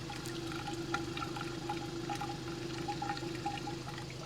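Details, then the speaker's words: 2016 Mercedes C300 at an auction lot, heard at the tailpipe; engine shaking a little, rodent nests found. Irregular wet bubbling and gurgling over a soft idle; suspected water got into the tailpipe. Exhaust gurgling at idle. "That's not good. I think water has gotten in the tailpipe. She's a gurgling."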